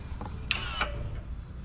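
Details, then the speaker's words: 2024 Range Rover Sport hybrid 3.0 inline-six with aftermarket valved sound system exhaust: two crisp mechanical clicks a third of a second apart over a quiet low hum as the exhaust valve switches; normal actuator clicking. "oh you can't quite see the can't quite see the valve it's the bend but you can hear it clicking"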